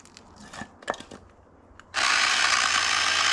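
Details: Old Craftsman V20 cordless saw on a 9 amp battery, already on its last legs, cutting firewood: a few light clicks, then harsh steady rasping grind with no clean motor tone; drive gears grinding.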